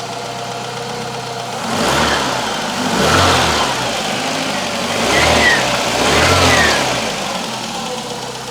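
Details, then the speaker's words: Citroen CX GTi on first startup after a head gasket job, with a skimmed head and adjusted valve clearances, warming at idle: smooth, steady idle, blips return cleanly, no knock or misfire. The cooling fan later kicked in. "It's sounding pretty nice. What I want to see is the fan kicking in when it gets hot enough for that. But it will take a while, because it's a big engine."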